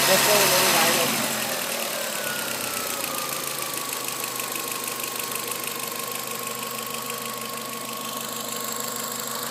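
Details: 2002 VW Golf 1.8T idling after a spark plug change, old plugs heavily oiled: steady tick and faint uneven stumble in the beat over a high whine; a cylinder misfiring.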